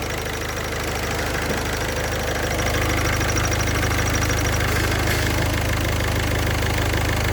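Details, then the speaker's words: Engine at idle: faint, high cricket-like chirp that changes as the clutch pedal is pressed and released; clutch thrust bearing with deteriorating balls. "That noise seems to be coming from the clutch thrust bearing."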